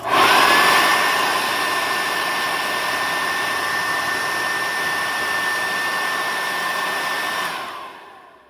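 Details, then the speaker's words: Sanitaire vacuum motor on a unit needing restoration, switched off then on: smooth steady high whir with even tone at speed, no rattles or scraping, winding down cleanly; motor sounds healthy, machine worth repairing. "Motor sounds really healthy. So this thing will be a candidate for further repair on it."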